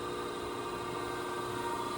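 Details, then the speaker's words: Okamoto ACC-12.24DX horizontal spindle surface grinder, grinding wheel spindle run alone before hydraulics and oil: steady even whir with a clean high tone and no knocks or roughness; running smoothly. "I'm going bring up the spindle first just to hear that and then we'll power up the oil and do a couple of short auto cycles."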